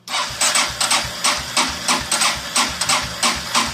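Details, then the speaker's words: Kawasaki Prairie 400 ATV, new voltage regulator fitted, fresh gas, spark present: starter chugs about three beats a second with no firing; cranks but won't start, owner suspects no fuel reaching the carburetor. "I'm really worried I'm not getting gas at the carburetor I might have to take it out and clean it off"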